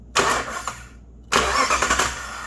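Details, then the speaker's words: Jeep WK Grand Cherokee no-start test: two short bursts of brisk, strong starter cranking when the starter relay circuit is jumped directly; if this fails, the starter connector is the common fault. "so you should get that. And if you're not getting that, your connector on the starter is bad."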